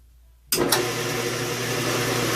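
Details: 4x6 band saw running a cut after gearbox oil change: abrupt start settling into steady even hum with light cutting hiss, no knocks; sounds good and a little quieter than before, normal running.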